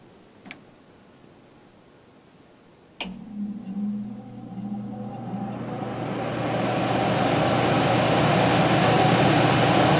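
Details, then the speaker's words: Furnace air handler PSC blower motor on the blue medium-low speed wire, thermostat set to fan on: a click, then rushing air and low hum build smoothly over several seconds to a steady even run; healthy blower. "okay you can kind of hear um basically how the blower sounded when it was revving up and how it sounds right now as it's running"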